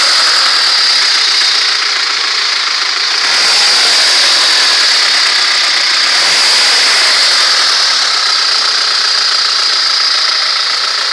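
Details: ZMZ-406 carburetted engine idling: light regular dull knock about three to four a second, swelling slightly with revs; suspicious engine knock, undiagnosed.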